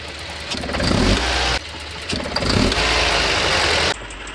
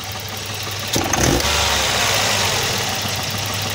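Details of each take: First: Volvo 240 with B230F redblock petrol engine pulling away under load: light metallic rattle over rising engine note, spark knock (pinging) when throttle opens, worse under load; owner suspects over-advanced ignition timing, distributor seized, later replaced. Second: Volvo 240 with B230F redblock engine after fitting a replacement distributor to cure advanced-timing pinging (detonation): engine runs evenly with one short rev blip and no metallic ping under load; healthy running.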